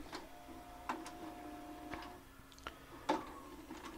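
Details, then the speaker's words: JVC HR-A592U VHS VCR with a load/eject fault: the motor whirs and the mechanism clicks as the tape ejects, then the loader runs again and pulls the cassette straight back in, so the tape can't be removed. Play, fast forward and rewind work. "and there it is and it's gone again that's what it does it it doesn't doesn't let you take the tape out"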